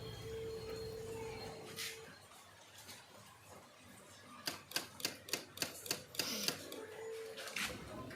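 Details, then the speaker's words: Royal Enfield Interceptor motorcycle whose battery reads only 9.74 V: pressing the ignition switch gives about eight dry clicks at roughly four a second with no cranking, and the meter lights flash. The starter is clicking on a dead battery. "Now this RE Interceptor has a dead battery because it doesn't start when we press the ignition switch. Check it out. You can hear the starter clicking and the lights on the meter flashing."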